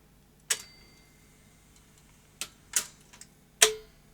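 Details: Early first-generation Philips VR2023 V2000 video recorder under repair, after fast forward and rewind started working intermittently: a few sharp, spaced mechanical clicks as the transport engages and runs into play, quiet in between; a normal play cycle.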